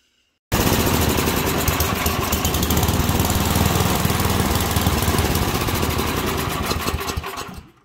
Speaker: all right that was a lean condition so your key characteristics of a lean condition you can hear it was popping sputtering did not want to rev up